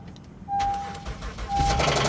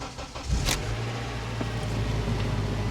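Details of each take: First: Car at a Copart auction with 169,000 miles, started on a jump: sharp, rapid tapping over the idle right after start-up, in time with the engine, and it persists. Oil is present and not milky; the engine is considered dead. Engine knock. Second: Honda Accord with 284,989 miles and a broken CV axle, at a Copart auction lot: brief crank, then it settles straight into a smooth, even idle with a steady low hum. ABS, maintenance and check engine lights are on. Normal start and idle.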